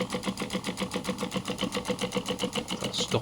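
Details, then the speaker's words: 3D-printed intercooler spray bar with five high-pressure nozzles: small pump hums with a quick even pulse about four beats a second, running fast and light as the reservoir runs dry near the end of the water. "You'll hear the pump run very quickly when it gets to the end of the water."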